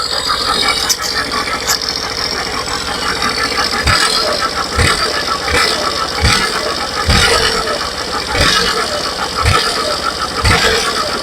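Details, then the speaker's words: Suzuki Burgman Street scooter, microphone near CVT: rough metallic rasp at idle, saw-like grinding swelling with each throttle blip; owner suspects worn torque drive bearing, disassembling to confirm. "So parang nandito lang siya mga boss. Ayan. Parang nandito lang siyang banda. ko alam kung sa torque drive bearing ba ito mga boss."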